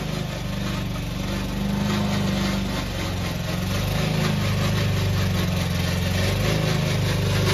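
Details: Old Toro Recycler mower: rough rapid rattle about three or four per second over engine drone from dry, noisy drive system; solved by lubricating with WD-40.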